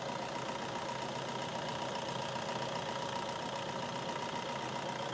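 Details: Toyota Innova diesel: soft, steady idle with even beat about two per second, no sharp knock, running smoothly.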